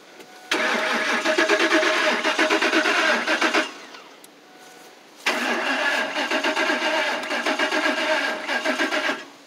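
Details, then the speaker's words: 2004 Lincoln Navigator, two long cranking bursts with steady starter chatter that never fire; owner suspects the fuel pump is not working after hearing no pump prime at key-on, but this is not confirmed. Cranks but won't start. "turn the key on see if the fuel pump fuel pumps not working fuel pumps no good"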